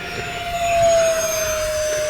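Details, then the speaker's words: E-flite Habu STS electric ducted-fan RC jet on 4S battery, full-throttle pass: clean, steady high-pitched scream dropping slightly in pitch as it passes, no rough or wavering note; fan and motor healthy. "This thing will scream on 4S."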